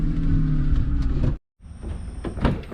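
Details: Nissan G35 power window motor after being taken apart and cleaned, previously barely working: steady low motor hum as glass travels, no labouring, stops cleanly; working properly.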